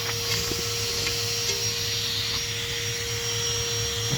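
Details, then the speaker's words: Dual exhaust system pressurized with a shop vacuum to find leaks: steady airy hiss over vacuum hum as air escapes at the exhaust manifold gasket. "you can hear air escaping from the exhaust manifold gasket that's by the exhaust manifold"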